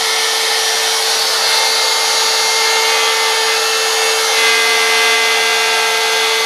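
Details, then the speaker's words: DeWalt router freehand carving a sign: loud high-pitched scream with steady whine over cutting noise, much louder than normal; owner thinks the router bearings are going bad and can feel it. "normally that Rider is a lot quieter than that but with the bearing's going bad is starting to scam a little I can actually feel it"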